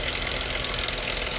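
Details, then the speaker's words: Dodge 2.7L V6 at idle, A/C off: fast, light metallic clatter over the idle, seemingly from one side; suspected valve train, with possible sludge to be checked, not confirmed. Engine clatter at idle. "All right. Y'all hear that clattering noise? You know what's weird, guys? Sound like it's coming from this side."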